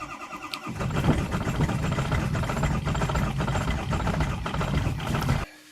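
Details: Diesel truck starting in about 20°F Maryland cold after glow-plug cycling; the first attempt failed because it was too cold for the diesel to fire. Slow, labored cranking catches into an uneven, stumbling idle with irregular knocks. Hard cold start, rough idle.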